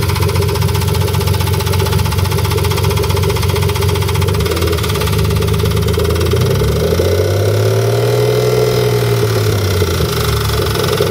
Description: S52 Engine in an e30 with a knocking/ticking that I cannot figure out where it's coming from.